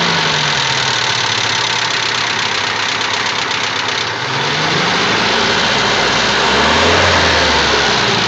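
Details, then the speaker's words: ZMZ 406 engine at idle with a steady tick-knock about four times a second; source unclear, owner suspects hydraulic lifters but it could be something else, engine to be opened up to inspect. "Ну вот у нас непонятный стук непонятный то ли гидрокомпенсаторы то ли что-то ещё"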